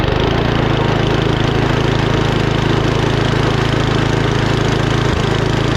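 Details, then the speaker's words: 39-year-old Gilson snowblower with Tecumseh engine, gas left in tank over season, fires right up after carburetor cleaned and fuel line flushed of water/debris; small single-cylinder engine settles into a steady, even chug: healthy start and normal idle. "and that's how your snowblower should start any snowblower whether it's a Tumi engine on it the bridgs and Stratton one or two pools it should fire right up"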